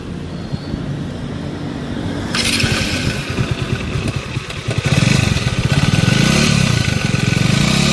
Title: Bajaj average 150 street timing chain noise instent and temporary solution#trending#viral#shorts